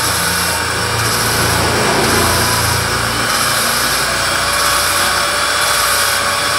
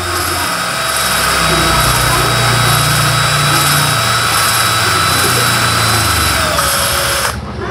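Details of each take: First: Honda Supra Fit motorcycle head (owner complained of noise and weak power), valve lapped with compound for about a minute: even steady swishing with slow regular rise and fall, no rough scratching; valve seat fully lapped. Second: Honda Supra Fit motorcycle head (owner complained of noise and weak power), valve being lapped on its seat with a drill: steady whir with a coarse, gritty scrape; freshly started, the seat is still rough, not yet lapped.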